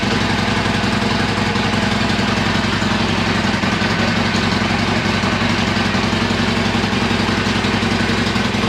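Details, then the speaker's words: Harley-Davidson Iron 1200 after dead battery (switch left in accessory) charged about half an hour: even, loping V-twin idle near three beats a second, no missing or stumbling; running fine. "let me see appears to be that sounded much better"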